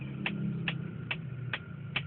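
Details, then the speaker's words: 1999 Mitsubishi Galant VR, ignition on, engine off: sharp even ticks about every 0.43 s inside the dash over a quiet hum; owner suspects the clock or air conditioning, electrical ticking of unknown source. "there's a sticking sound inside my dash whenever i start my car see i haven't even started it just put it on the battery"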